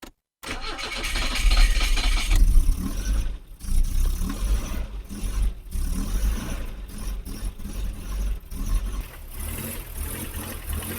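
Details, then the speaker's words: 1984 BMW 318i E30, sat for 4 years: uneven cranking stutters before catching, then rough unsteady idle; owner suspects a sticking starter caused the starting issue. "it sounds like the starter was sticking a little bit when you were jiggling the key yesterday so I think that's probably the cause of that starting issue"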